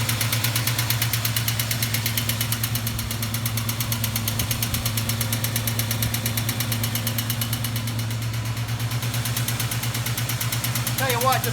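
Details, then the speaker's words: 1973 Duster 360 V8, engine built about 25 years ago, idling cold; sharp steady clacking from the top end in time with the engine, from one intermittently sticking lifter; rocker covers pulled to find which side. "see if i can figure out which side is clacking hopefully i pulled the right rocker cover it sure sounds like that side"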